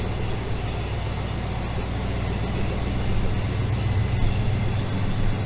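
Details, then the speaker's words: AMC 401 V8 in Jeep YJ after heat soak fix and oil pan leak repair, freshly started, oil pressure 60, paint smoking off heads: deep, even burble at steady idle, no knocks or misses; running healthy. "oil pressure's sent to 60 but it'll probably drop down once uh once it gets warmed up so you guys can see the uh smoke coming off the head i painted them pretty good so it's going to be a little bit before all that freaking turns off 60 and she sounds good"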